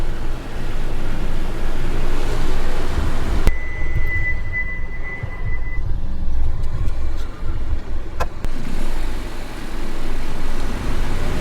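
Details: Car driving with a steady low road rumble and no wheel clicking, after the wheels and disc faces were cleaned with brake cleaner and refitted with the nuts tightened in a star pattern; the earlier loud clicking is gone.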